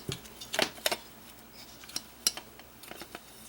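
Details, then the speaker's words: ARP Axxe analog monosynth keyboard from the 1970s: a few sharp, light clacks as a key is pressed and released, plastic striking metal because that key has no bushing at all. The key also sits too high. "there is no bushing in there none whatsoever you hear that clack sound that clack means there's no bushing because it is plastic on metal"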